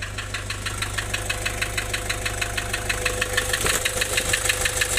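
Diesel idle with a sharp, regular clatter about three times a second over a lumpy beat; rough running from lost compression.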